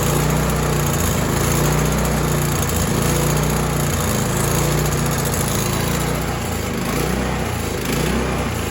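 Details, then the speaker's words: Snowblower small engine after carburetor cleaning, idling: slow hunting rise and fall, mild surge every couple of seconds; may fade as it warms, or be bad gas left in the fuel line or improper adjustment. "Now you hear that little bit of surge. Sometimes as they warm up that'll go away. Sometimes that can be uh some bad gas left in the fuel line."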